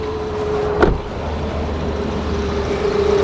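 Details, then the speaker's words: 2001 Toyota Highlander 2.4L, battery light on and battery dying, running with jumper cables removed: faint steady mid-pitched whine, a zooming noise from the alternator area over a smooth idle; alternator whine, alternator issue suspected. "I don't know if you can hear this noise this noise is coming from the alternator there's like a little zooming noise coming from this area"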